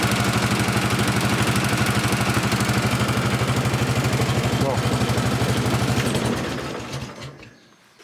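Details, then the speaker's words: Honda 1211 ride-on mower, operator-seat mic, engine accelerated: roar with steady flap-flap slap about three times a second; broken plastic transmission cooling fan blades rubbing, recurring despite an earlier repair. "il y a un bruit de flap flap flap flap, vraiment un bruit de plastique qui frotte."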